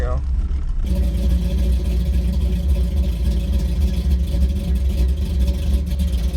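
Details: 1983 Chevy C10 with a cammed small-block, cold start in snowy weather, carburetor with no choke and a tune not made for easy starts. It settles into a deep, choppy V8 idle with an uneven lope of about three to four beats a second, typical of a big camshaft.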